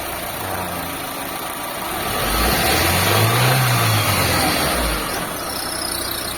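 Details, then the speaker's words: Lancer "itlog" after engine replacement, final start: smooth steady idle with a brief rev blip that rises and settles cleanly, no knocks or misfires; no more blow-by, restored to standard, fan no longer wired direct. Normal idle. "Sobrang tahimik na mga bossing. Pinong-pino na yung andar niya mga boss. Yan o. Wala na siyang bulwak."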